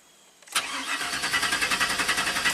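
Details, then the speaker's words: 2000 GMC Sierra V8 intermittent crank no-start: starter cranks with an even chug about seven times a second but never catches on the programmed cam phase, yet starts when the ECU tries the reverse 180°; cam sensor signal out of phase, sensor suspected. "so when it's trying the known good what's programmed into the computer it doesn't start when it tries the reverse 180 you know out of sync it starts right up and runs"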